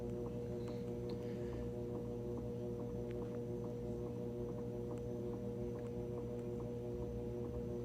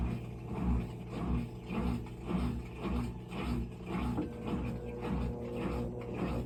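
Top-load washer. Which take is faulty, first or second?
second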